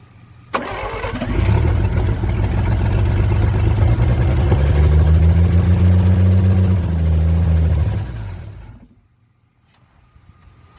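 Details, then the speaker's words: 1954 Chevrolet 150, first start after long storage, fuel hand-poured into carburetor: catches almost at once, deep fairly even rumble for about eight seconds, then dies as the poured fuel runs out. "All right, then. Just fires right up today. Just wanted to see us struggle in the dark, I guess."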